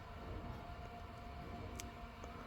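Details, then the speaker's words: 2012 Ford F250 6.7L diesel, key on after fuel filter/water separator replacement: faint steady lift pump whine with light gurgling as it primes and purges trapped air. "so that's all that air that's getting cycled right through so we're going to go ahead and wait for that"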